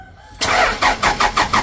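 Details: Toyota Dyna diesel after injection pump rear repair and plunger replacement, new filters, fuel hand-primed: starter cranks in even pulses about four a second but the engine never catches; air still in the fuel system.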